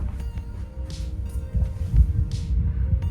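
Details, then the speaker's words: Definitive Technology 8080ST tower playing from an Apple TV, its amp still faulty; owner says it sounds better after days unplugged: heavy constant hum with occasional pops and hissy bursts; amplifier hum and pop fault. "Man, it was really bad. I'll probably play a clip of it, but it was like humming like crazy. The pop was even louder."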